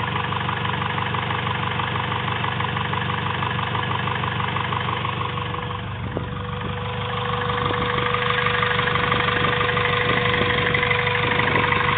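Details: Honda B16A2 turbo build (CP 9:1 pistons, Eagle rods, Supertech valvetrain and retainers) at idle: steady light tapping about three per second over the engine, abnormal mechanical noise of unclear source.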